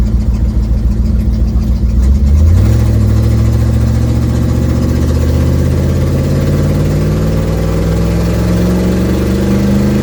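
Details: 1972 Ford Mustang driving, phone on dash: engine pulls up through the revs with raspy, puffing exhaust note — exhaust leak, not yet fixed.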